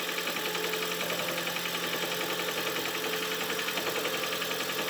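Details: Toyota Prius hybrid petrol engine idling just after start with a faint uneven stumble about twice a second; slight misfire. A knock near the flywheel damper between engine and gearbox is also suspected.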